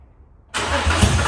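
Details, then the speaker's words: Nissan 350Z drift car with a newly installed replacement engine, fuel pump fuse pulled: starter cranks and the engine catches a few uneven beats on residual fuel in the system before priming. "So you could hear there was a little bit of fuel still in it, but now we're gonna put the fuel pump fuse back in and hopefully it should just start right up."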